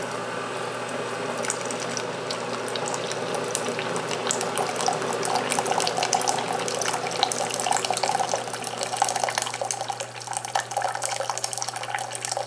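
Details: Keurig K-Cup brewer making an 8 oz cup: steady low pump drone as heated inner-tank water is forced through the K-Cup, with continuous trickling and splashing filling the cup evenly; a normal brew.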